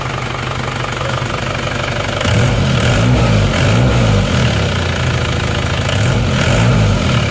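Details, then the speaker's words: Isuzu Panther diesel with severe blow-by (ngobos), before repair: heavy smoke at the rear; idle not harsh and timing correct, but it shakes unevenly, knocking about four times a second as if about to die; stuck rings. "Kalau suara mesin saya rasa ini tidak kasar dan timing juga tepat. Tapi cuma goyang-goyang seperti ini mau mati."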